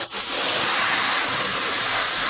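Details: Heat pump during refrigerant charging: loud steady high-pitched hiss throughout while the fitting is tightened and the hose freezes. Refrigerant is leaking from a loose charging hose connection.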